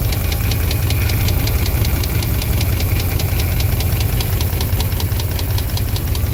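Sharp, even tapping about five times a second over a steady idle; this is a clear engine knock from the V8.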